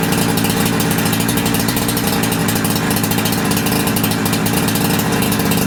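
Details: Holzfforma G372XP chainsaw (Husqvarna clone) after new carburettor, reassembly and tachometer tuning: fast, crisp two-stroke popping holding steady with no hunting or stalling; low-end, idle and primary tune good, high end untuned under load.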